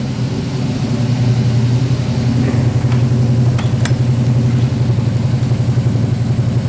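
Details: 1977 Chevrolet Nova after FiTech 800 hp MeanStreet EFI install, idle set at 900 rpm, microphone at rear of car: steady, even exhaust burble with deep low rumble, no misses, knocks or ticks; healthy first-start idle.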